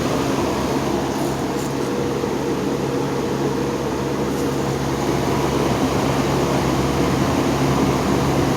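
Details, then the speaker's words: General Electric motor after defect repair, running on low speed in the second switch position: smooth even hum, steady low tone, soft air rush, no rubbing or rattle; motor running quietly. "Kind of funny because it seems like the out position doesn't seem to be too noisy at all. And it seems like the low speed on this is a is a bit more faster than the other position."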